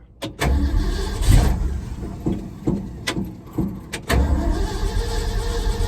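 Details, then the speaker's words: 1974 Ford F-250 V8 with new mufflers mocked up (one side not fully bolted) cranks in several bursts with short rough firing that never settles into idle; extended cranking, no start. "Why is it not starting? Wow."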